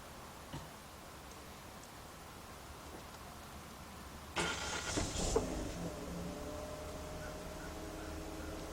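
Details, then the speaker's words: 2006 Chevy Cobalt 2.2 with a slow-crank, sometimes no-start complaint; battery 12.66 V before cranking. A short crank catches quickly and settles into a smooth, steady idle. Charging reads 14.4 volts, so the alternator is fine; normal start and idle. "all right car startup look at that 14.4 volts this thing is definitely put up there's definitely nothing wrong with this alternator"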